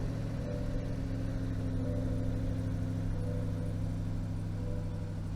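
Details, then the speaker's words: Salvage Corvette V8 at auction with front-end crash damage, rear untouched, started right up: steady, even rumble with a smooth beat and no knocks or ticks, quiet and healthy; normal idle. "this thing started right up it sounds great let's go ahead and pop the old uh trunk here i'm sure you guys can hear it it's as quiet as you'd want any sports car to be it sounds really really healthy"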